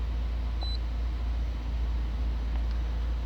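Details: 2014 Fiat Palio 1.4, warm at 97°C coolant with the cooling fan just switched on: low, even idle with no knocks, misses or rattles, and scan data for rpm, MAP, injection time and lambda sensor all normal.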